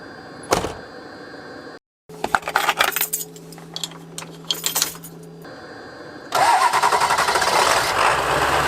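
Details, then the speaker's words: Cold-blooded Ford Powerstroke diesel in freezing weather, coolant pre-warmed by a Chinese diesel hydronic heater and pump: a few clicks, short silence, then it catches and settles into a steady, even rumble; normal start, no struggling. "hear the diesel hydronic Chinese diesel heater that is effectively preheating the coolant, and the small water pump is running that through the motor so that the bus is pre-warmed."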